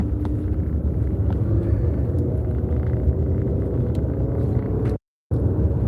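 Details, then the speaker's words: Vehicle rolling while driving: steady low droning rumble with nothing rhythmic on top; owner attributes it to a worn wheel bearing, not confirmed. "You can hear my wheel bearing."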